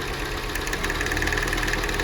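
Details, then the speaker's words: Jeep Renegade with new spark plugs, coils tested OK, popping in the exhaust: idle with an uneven, stumbling beat and faint ticking; spark leaking past a poorly sealed plug to the engine block, causing a misfire. "às vezes vai pra vela e às vezes dá uma fuga na vela e uma na lateral que nem aqui"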